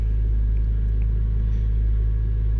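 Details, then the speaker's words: 1997 Toyota Tacoma 2RZ-FE engine with intermittent P0171 lean code, cold idle: steady even idle near 1500 rpm, no misses; idle set high, to be lowered to spec. "we're going to lower that idle back down to spec but she is still cold so 1500 that's actually not bad for a cold Idol but I believe on the warm Idol it's still a little high"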